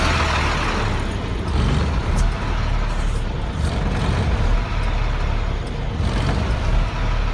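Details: 1999 Freightliner diesel truck with hard start/no start, at idle; rough idle swells and sags every couple of seconds, hunting, with blue-gray exhaust smoke, then dies; owner suspects bad fuel pressure sensor, unconfirmed: surging idle.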